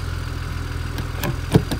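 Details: Steady low idle with a few isolated clicks on a BMW 335i, running again after fuel was added; owner had suspected fuel pump and DMTL codes, replacing DMTL didn't fix the problem, and it still sounds weird.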